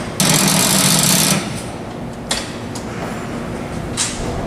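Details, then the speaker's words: AMC AMX with an ongoing charging problem, morning start on a hot road trip: fast harsh rattling chatter about a second when the key is turned, then nothing; battery dead again, too flat to crank. "our battery's dead again. Yeah, but it's the last day, so that's good."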